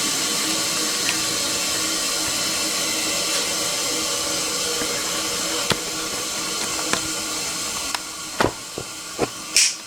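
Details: Toilet with water running non-stop: a steady loud hiss because the fill valve is not closing and water keeps leaking through.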